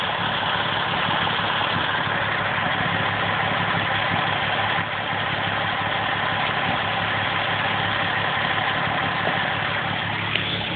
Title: Lola's massive vacuum leak!